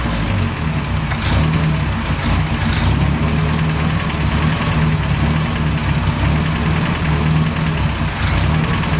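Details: BMW 2002, idling in January: steady low idle with an uneven, lumpy beat and slight stumbles in the firing; rough idle, cause not yet clear.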